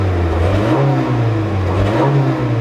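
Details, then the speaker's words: Mk3 VW Golf with single-port injection that dies randomly, about 45 minutes after a throttle position sensor swap: smooth idle, but revving brings an uneven, faltering drone with stumbles, a misfire breaking up under throttle without dying. "hear a little bit of breaking up though. You can kind of hear it. Let's see. Here, there it is. I mean, the idle's so smooth. There's no dying out, but that's obviously not right."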